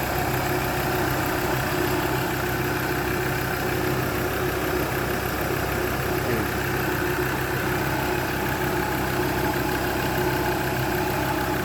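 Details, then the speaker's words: Mazda BT-50 diesel, recorded in front of the engine bay after a no-crank, no-start fix on the panel wiring, charging voltage 14 V: steady, even idle with a smooth low rumble, no knocks, misses or rattles; normal idle. "Okay naman yung kanyang andar. Walang problema. No direaction."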